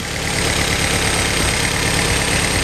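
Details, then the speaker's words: Freshly running engine warming up to open the thermostat, idle with a constant airy hiss independent of engine beat; source unknown, owner thinks it might be the belt or a noisy pulley. "Yeah, guys, it's running. I hear a hiss, but I don't know where it's coming from."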